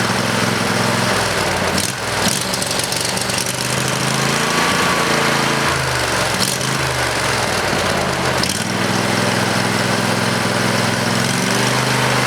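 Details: Briggs and Stratton 20HP V-twin Model 40 after carburetor cleaning and reassembly: steady, smooth beat with one brief dip and recovery in speed; pretty good running engine, normal running.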